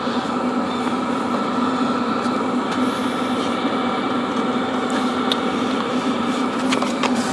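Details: Hcalory Toolbox 2s diesel heater running steadily: constant fan whoosh with steady hum and burner roar, no surging or sputtering; outlet air reaching about 156–190 degrees, unit casing not even warm; normal running.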